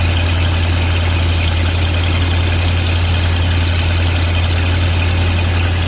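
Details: 1986 Ford F150 351W V8 with Holley Sniper EFI after re-clocking the HyperSpark distributor: strong steady low rumble, even idle with no stumbles or knocks.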